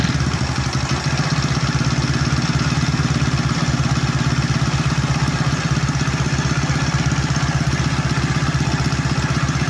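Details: Honda Wave 125 S single-cylinder after suspected timing chain or rocker arm noise: steady, even idle putter, no ticking or clatter on top; engine runs smooth and healthy.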